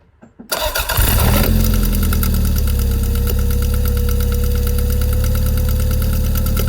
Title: MR2 3SGTE Engine clicking sound